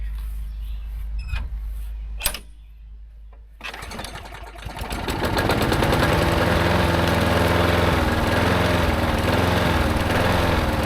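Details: Yard-sale push mower after new plug check, fresh fuel and Marvel Mystery Oil, first start in a long time: a pull or two, then it catches and settles into a steady, even drone; starts and runs well.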